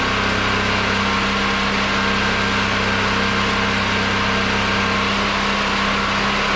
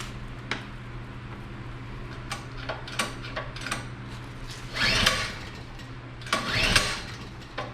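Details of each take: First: Generator switched from propane to old gasoline after a hand-crank start, charging a battery that was down to 10.9 V (about 12.5 V reached); constant, unwavering drone at fixed speed, no hunting, popping or misfire: normal running. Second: Generator unused for a while, pre-hurricane check with valves opened; scattered clicks then two short cranking bursts that never catch. Owner unsure if choke or another lever is needed; cause unconfirmed. Cranks but won't start.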